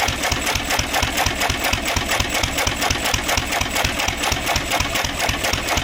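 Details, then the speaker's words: 1927 IHC M engine, restored 20 years ago and unrun for 19 years, first crank after spark check and oiling, running on starter fluid. The AC Delco fuel pump diaphragm failed, owner blames old ethanol fuel. Sharp, regular firing pops about two per second with clattering valve gear. "So, I discovered that the fuel pump isn't working. So, I did try to mess around with it a little bit, but we're just going to run it off the starter fluid here."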